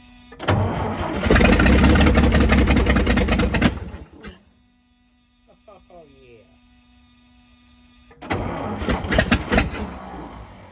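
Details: Old International winch truck left sitting in woods, first start on fresh gas via mechanical fuel pump: long rough crank, then uneven chuffing run; owner says it sounds like a bad exhaust leak, shut off to add coolant.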